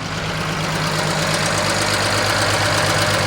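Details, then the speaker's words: Tuned BMW E92 335i with downpipes: light, quick tick about three times a second at idle, sounding like something not sealing; a leaking injector is suspected, possibly a loose spark plug; wastegates also rattle; engine ticking at idle. "all right so it does make a bit of a ticking noise so i'm thinking it might be a leaking injector which a lot of people said might be wrong with both of my engines"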